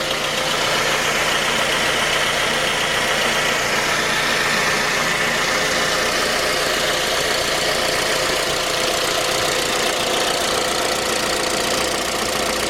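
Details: J20A engine (2010), cold idle: constant, fast, unchanging metallic rap over the engine. Began at 10,000 km and worsened after oil changes; dealer checks were normal. Found a scored crankshaft journal on cylinder 3, blamed on non-recommended oil; short block replaced.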